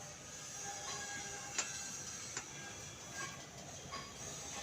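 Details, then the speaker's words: Royal Enfield Classic 350: sharp isolated "kat-kat" clicks from the front end as the handlebar is turned left and right. Shock and T nuts already tightened; mudguard and wheel bolts next being tightened to try to fix it. "इसमें problem ये है कि इसमें जो handle यहाँ से वहाँ घुमाते हैं तो ये आवाज़ करता है।"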